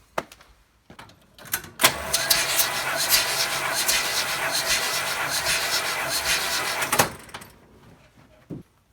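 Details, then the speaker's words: Vintage Mopar engine cranked for a compression test on cylinder 2 after 1,000 miles of running Marvel Mystery Oil in the fuel: an even chug of about three to four pulses a second with no dragging or missed beats; the reading rose to 90 psi from about 70–75. "$90. That's much better. 90 psi. It's certainly back up. I'm pretty happy with that."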